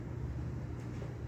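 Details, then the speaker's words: Vintage Norcold mini fridge with unusual Awafuji swing-motor compressor, possibly RV AC/DC unit: low, even hum, no knocks or rattles, nearly silent once running; normal compressor run. "Once it gets going, you can barely hear it. That's impressive."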